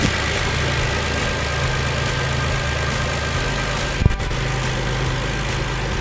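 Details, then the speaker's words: 2007 Hyundai Entourage 3.8 V6 after a MAF sensor replacement for a no-start and P0102 code. Even, settled idle with a steady low hum and one handling clack; idling normally now. "And I mean, it's running good now. There are before and after."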